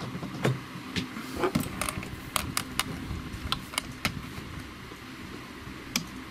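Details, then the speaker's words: Seaward Europa PAT tester powering up after replacing the real-time clock backup battery (date and time loss fix): sharp irregular relay clicks, the normal startup sequence, before a calibration-due warning. "the sounds and buckets normal starts up clicking and then it will warn me that it's not been calibrated for a while"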